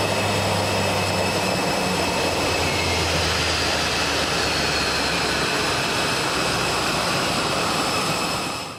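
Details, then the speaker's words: CFM LEAP-1A turbofan on an Airbus during engine shutdown on the apron: steady rushing hiss of pressurized air with faint whistling, fading as the engine winds down. It comes from the variable stator vanes opening and variable bleed valves closing; normal, engine serviceable. "Waiting for the aircraft reaching the apron before your flight, during the engine's shutdown sequence, you may hear a pressurized air noise."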